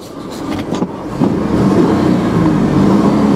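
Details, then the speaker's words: 2002 Ford F-150 XL regular cab, A/C off, revved during a parking-lot test drive: revs climb smoothly to a steady even drone with no knocks, ticks or rattles; engine sounds healthy, believed to be a V6. "sounds good that has got to be a v6 we're gonna find out right now"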